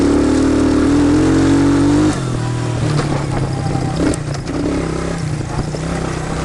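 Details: 1999 Suzuki Quad Runner ATV after carb float adjustment (it had bogged under load from a misadjusted float), not fully warm: clean, strong revving that climbs smoothly and settles without bogging or stumbling; engine pulls well and sounds healthy.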